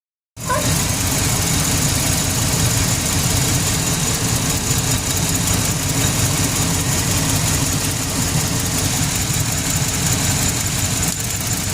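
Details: GMC Sierra with an LS V8 at idle: a steady exhaust drone with a slightly rough, uneven pulse, like a cylinder dropping out. Misfire suspected, not confirmed.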